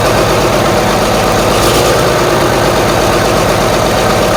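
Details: Marmon 57P Aero truck "Black Betty", first start of its new diesel engine after fuel reached four injectors: loud idle with an uneven, lumpy beat and occasional dropped pulses; sounds like it's missing, a rough idle and misfire.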